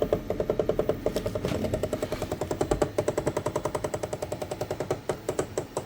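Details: Anycubic ACE Pro filament unit used with a Cobra 3 combo, first slot: fast, even run of sharp clicks for several seconds during filament retract, gears grinding; cause suspected, not confirmed.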